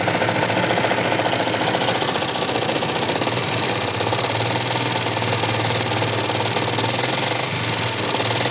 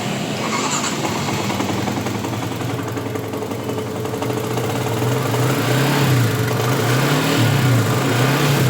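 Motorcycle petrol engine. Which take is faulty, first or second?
first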